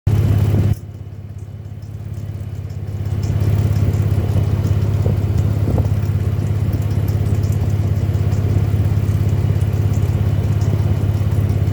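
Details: Jeep JK petrol engine idling with a deep rumble and a soft, regular knock about twice a second. The knock occurs only from idle to about 1500 rpm, then goes away. The cause is unknown.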